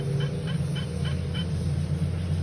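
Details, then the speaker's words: 2019–2020 VW Gol G8 on a lift, cold first start, accessory belts removed: short regular chirps about three a second from a worn water pump bearing near the timing belt, louder under belt load. "Sentido antihorário não faz. Só sentido horário. Ó, com o peso da correia, esse barulho aumenta."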